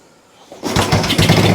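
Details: Old Royal Enfield 350 single, first start after sitting for years, after carb work, decompressor not connected: silence, then it fires and catches, settling into an uneven low thumping idle.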